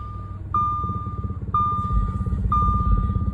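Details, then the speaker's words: B8 Audi S4 supercharged, a little over 300,000, warmed up, stock exhaust: even low idle beneath three electronic chimes, no knocking or ticking; sounds healthy. "I did have it running and warmed up, so those of y'all worrying about it starting and whatnot. Sounds pretty good."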